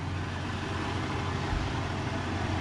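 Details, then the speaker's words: 1998 Jeep Cherokee XJ barn find, after straightening dented bell housing cover and baffles the starter was hitting: low, even engine hum with no clatter or scraping; runs smooth, though flex plate/torque converter noise sometimes still heard. "so yeah i thought for sure that was going to be bad but she runs smooth as molasses now"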